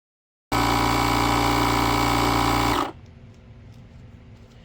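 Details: Buture Beta07 portable air compressor inflating a 33-inch tire, restarted at about 34 psi after a heat shutdown and running to 40 psi; steady dense buzzing pump beat at about four strokes a second, then a clean cut-off. Normal running.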